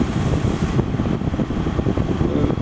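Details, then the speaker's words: GE Profile air conditioner, a street find, fans on high in cool mode, microphone right up against it: steady even fan rush with a low hum and no rattles or squeals. Normal operation. "But one thing I got to say about this air conditioner right now it's on high and I'm sure you hear the wind noise cuz I had it right up against the thing."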